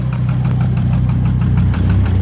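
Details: Volvo engine idling while being warmed up: a regular knock about four or five per second over a low rumble. The owner is unsure whether the gauge shows real low oil pressure; oil pump and water pump to be changed. Cause unconfirmed.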